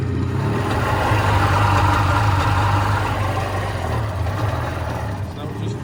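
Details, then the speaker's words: Sea-Doo XP jet ski, Rotax 657 two-stroke, first run after 15 years unused: crackling unevenly and surging, won't rev out fully; rough running, carburetors or fuel supply suspected. "it's not running the cleanest but I guess we'll just have to clean the fuel system instead of plugs"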